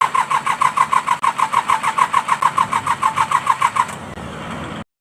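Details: Mitsubishi K3E engine in an MT18 tractor: even cranking chugs about three per second for four seconds before briefly catching, a slow weak-compression hard start from worn rings; three pistons and rings to be changed.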